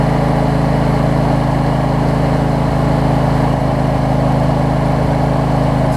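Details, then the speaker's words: Husqvarna YTA24V48 riding mower, built December 2016, 61 hours, after an oil change and a fix for an oil leak from a loose filter: steady, even V-twin drone with no knocks or misses, cutting off at the end; normal running. "i'll show you that it runs and that it cuts here and then i'll give you a wrap on what i think about it"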